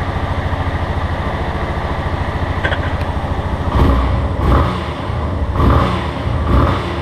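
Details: Motorcycle under warranty idling with a light, quick tec-tec tapping, then throttle blips; workshop chief says cam chain bearing, engine to be opened, unconfirmed.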